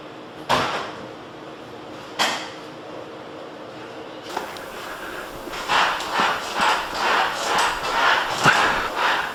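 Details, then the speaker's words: Pontiac GTO polyurethane suspension bushings after re-greasing the non-greaseable bushings: two sharp knocks, then faint rhythmic creaky squeaks as the body rocks, much reduced from before but still present. "so it's not 100 you can still hear it squeaking a bit but it's way better than it was before"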